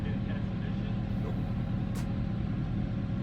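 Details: 2007 Chevrolet Corvette 6.0 LS2 V8 after the cylinder head was pulled for a bad exhaust valve on cylinder 8 and new lifters were fitted: a smooth, even idle with a steady low rumble, zero misfires on cylinder 8.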